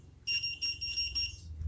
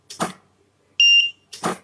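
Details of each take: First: Godox SK400 studio flash, very dirty, previously dead and owner-repaired, tested at 1/1 power. Repeated sharp high-pitched beeps about four a second in short bursts signal the E3 error. The lamp is also blinking and seems not to fire. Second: Godox SK400 studio strobe after repair of an E3 fault, tested at highest power: a sharp pop with each flash followed by a clear, high ready beep, repeating evenly about every 1.5 s; firing and recycle normal.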